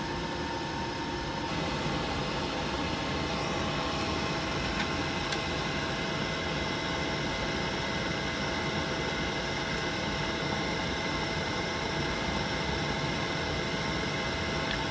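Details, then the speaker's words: Worcester Greenstar Ri boiler, gas valve turned anticlockwise while adjusting air/gas ratio: steady fan hiss with no burner roar building — burner not igniting after adjustment, further tuning needed. "doesn't sound like it's firing at all now, so I might need to make some more adjustments on there."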